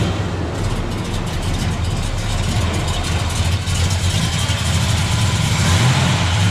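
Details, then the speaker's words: 1965 Chevrolet Biscayne, 396 big block with 4-speed, a little cold-blooded though briefly warmed: deep, loose V8 burble with a slight cold lope and a small rev rise; normal cold idle. "It is a little cold-blooded. I had already pulled it out and warmed it up a little."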